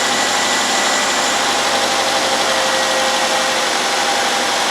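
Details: 2010 Nissan Altima 2.5L four-cylinder idling after alternator replacement and belt adjustment: an even hiss and hum from under the hood with no squeal, knock or stumble, so it is running normally; a valve cover leak is noted.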